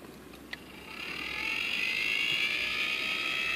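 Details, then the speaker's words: Honeywell zone damper actuator (replacement M847D1012 for failed M847D1004 whose spring caught on gear wheel): smooth high whir builds after a second and holds steady, no catching or clicks, spring return opening damper cleanly; normal. "obviously hopefully you can see that but obviously I can I can hear the spring moving the gear shift and and opening it again"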